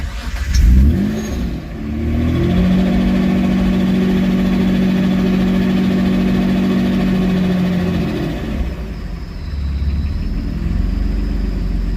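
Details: Supercharged engine not run for about 5 years, standalone ECU with idle stepper motor removed, smoking a bit: catches, revs briefly, rough idle then sags and nearly dies; won't hold idle.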